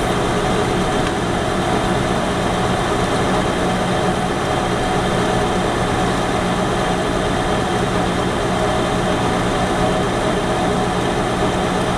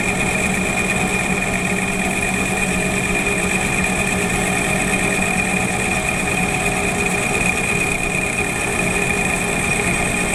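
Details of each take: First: Lathe turning at 550 rpm, coarse feed of about 0.015 then 0.008 in per rev, 1 mm (0.040 in) depth on diameter, freshly ground unhoned right-hand HSS tool bit; steady spindle hum, constant cutting hiss; rough finish. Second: Lathe finishing cut at 550 rpm, 0.004 in (0.1 mm) per rev, 0.040 in (1 mm) on diameter, with a re-honed, lapped right-hand HSS tool bit; smooth steady hiss over even hum, no chatter; nice finish.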